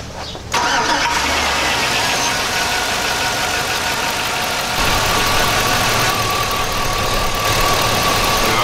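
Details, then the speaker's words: 2000–2006 Chevy/GMC truck with P0200 and P0303 codes, cylinder 3 injector swapped with number one as a test, restarted to warm up: cranks, fires, then rough uneven idle with steady shake; misfire persists and did not follow the injector. "still shaking here"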